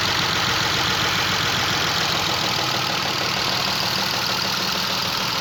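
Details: Chrysler LHS 3.5 V6 at idle: a dry, uneven, diesel-like ticking clatter over the hum. Engine knock pointing to internal mechanical noise.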